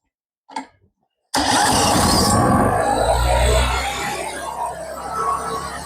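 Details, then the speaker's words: WEN 3500 portable generator, 7 hp engine, after carburettor cleaning and throttle adjustment screw turned in slightly: engine catches at once, then settles into a steady, even running note without stumbling or surging; normal running after repair. "I just screwed that in a little bit. And now she runs really good."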